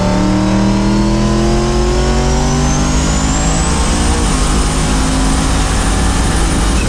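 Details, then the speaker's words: Boosted truck with 4L80 transmission in overdrive and lockup, about 45 mph at 1600 rpm: smooth, even engine note climbing steadily through the gear and settling after the shift, no hiccups or misfires; normal cruise. "Sounds like it cruises pretty good. I don't hear it hiccuping and driving like shit like they normally do."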